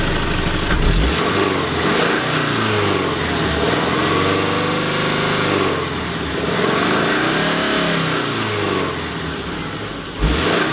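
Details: Car engine revving with a rough, uneven knocking and popping, loudest when at operating temperature just above 2000 rpm under light load. Vibration rises with it; plugs, ignition, timing belt and fuel changes didn't fix it, and the owner fears rod knock.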